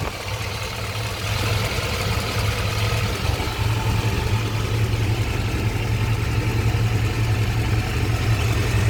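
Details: Chevy 5.7 350 TBI V8 truck, original engine with 206k miles, idling with light fast exhaust tick over deep rumble after new spark plugs, fuel filter and PCV; cause was a loose spark plug, fixed by tightening.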